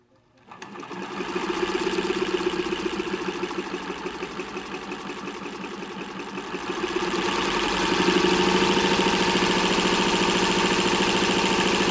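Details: 1924 Singer model 128 sewing machine in bentwood case, restored: motor carbon brushes checked and grease confirmed not hardened; even rapid clatter speeding up smoothly, running sweetly with no binding.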